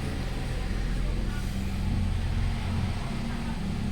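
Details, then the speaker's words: 2018 Hyundai Accent 1.4: steady, even low idle hum with no hunting or stumble, RPM no longer dropping; engine idling cleanly now. "stable na siya Oh wala ng kagalaw galaw kanina h mo maintindihan kung saan pupunta yung RPM eh"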